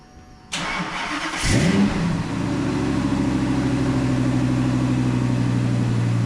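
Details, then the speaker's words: Ford V10 swapped into a Mustang, after rewiring the MAF sensor; brief crank, catches quicker than before with a slight stumble, then steady deep idle; mild starting stutter. "good. Better. That's a little quicker. A little stutter, but not bad."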